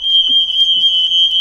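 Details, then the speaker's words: Home fire alarm going off suddenly with no fire, one of three alarms across three floors, red light blinking on the ground floor: piercing, steady, ear-splitting high-pitched tone without a break, cause unknown. "এই যে এটা হচ্ছে fire alarm. বাবারে কি আওয়াজ, বিটখুটে আওয়াজ, মানে কানে তালা লেগে যাচ্ছে,"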